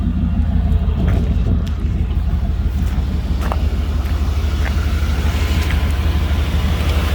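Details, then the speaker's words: 1995 GMC Vandura 2500 van, 167,000 miles, idling with hood open: deep, smooth, even rumble with steady low pulse, no ticking, rattles or misses; real quiet and smooth motor, starts right up, no smoke. "Listen to it a little bit. Real quiet and smooth motor."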